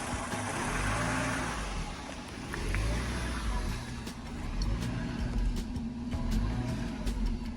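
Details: 1983 Mercedes-Benz W126 380SEC Euro spec, warm idle in park rising and falling in slow waves about every two seconds, rpm needle fluctuating as if about to die; stalls at stops, now in drive too; cause unknown, OVP relay and vacuum leaks considered.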